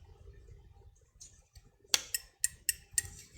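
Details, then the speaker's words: Electrolux iron thermostat, metal plate with thermal paste pushes contact to disconnect when heated; lifting the plate by hand gives a few sharp, bright clicks in a quiet room as the contacts snap open cleanly: normal thermostat click. "So when this is heated up, so it will push inside there, making that contact to disconnect. So if we now it's connected. If I lift this a little bit, it should disconnect immediately."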